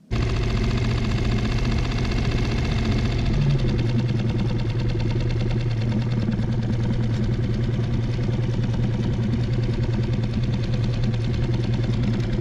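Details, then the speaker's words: Circa-2020 6hp Mercury four-stroke outboard running steady and even after a brief higher-speed start, no misfires or sputtering, after carburettor strip and jet cleaning fixed post-winter-storage stalling, sputtering and power loss; running pretty good. "Running pretty good. Give it some more test runs."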